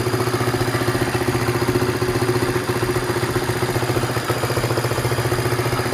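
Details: Honda Sonic, brought in for hard starting and poor acceleration, after a replacement carburetor was fitted and tuned; compression is somewhat low. The small single now runs a steady, even idle with a quick, regular beat of about four pulses a second and no misses.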